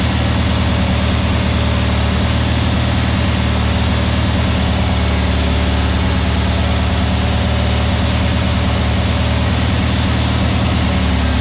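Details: New VW Beetle 1679cc single-port flat-four, Scat C25 cam, dual Empi ITC carbs, first fire-up during 20-minute cam break-in: steady low-pitched even beat at fast idle, no knocks or misses; timing spot on, no leaks, carbs need tuning; normal running.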